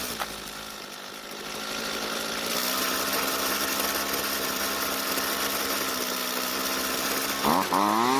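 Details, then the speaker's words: Jonsered two-stroke string trimmer, hot, after turning the carburetor L screw clockwise under a quarter turn to lean the low-speed mixture: catches quickly, settles into a steady buzzing idle, revs cleanly to full throttle; easy hot restart. "uh so well it definitely started up much easier but let's try that one more time just to make sure"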